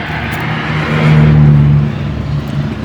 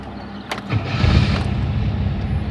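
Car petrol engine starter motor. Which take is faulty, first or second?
second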